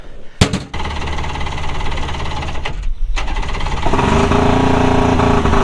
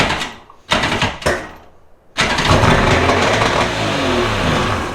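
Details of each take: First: Two-stroke premix jon boat outboard sitting three years, carburetors rebuilt, after flooding and fixing a loose battery connection: catches about four seconds in and settles into steady buzzing run; normal running after restart, though not yet at full former speed. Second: Two-stroke premix jon boat engine, unused three years, carbs rebuilt: cranking bursts, then it catches and races unevenly; it ran away because using a shop vac on one cylinder flooded it with excess fuel.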